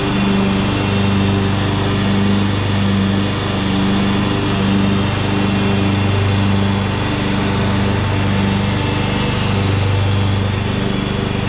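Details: 2014 Ariens (Husqvarna) 42-inch-cut riding mower, revived from scrapyard parts machine, cutting grass under load: steady single-cylinder drone holding speed with only slight dips; engine healthy, only needs a couple of small things.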